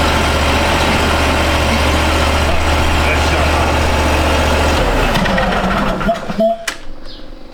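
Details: 2013 Steiner 440 air-cooled tractor at 698 hours, running again after a crank/no-start with no fuel delivery (earlier a bad ground): steady even low drone at constant speed, then a clean shutdown, running normally.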